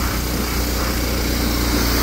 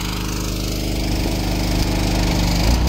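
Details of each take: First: Old power washer engine after repair, RPM turned up to offset governor springs stretched from years of running at full RPM; it now holds a steady, even high-speed drone with no hunting or sag, running normally at full speed. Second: Old power washer engine at full throttle, bogging with a laboured steady low single-cylinder drone after the year-old pump was turned up for more pressure; fuel isn't dirty, and stretched governor springs were later found to be the cause.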